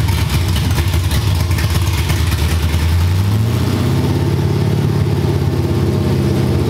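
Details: Cammed LS V8 in a G-body, after troubleshooting an injector stuck open: catches with a deep rev, then steady choppy cam lope with no misses or pops; no flames, smoke or heavy gas smell; normal start and idle.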